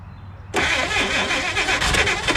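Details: 1956 Chrysler Windsor, not run in at least 5 years, with a rebuilt starter just reinstalled and crumbling factory wiring. After a quiet pause the starter engages with a rapid, fast whirring crank that never catches: cranks but no start, cause unconfirmed.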